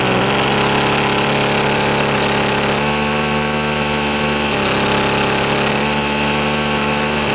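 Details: Husqvarna two-stroke trimmer: thin buzzing engine surges and sags unevenly and won't hold a clean speed while the carb is adjusted. Fuel-air mix is off. Owner suspects stiff, worn carburetor diaphragms needing cleaning or replacement.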